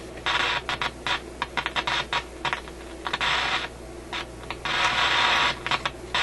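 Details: Canadian General Electric KM-5 vacuum tube radio, paper capacitors replaced, irregular harsh crackle and static over a low hum, still present with volume turned down; intermittent fault in the audio output.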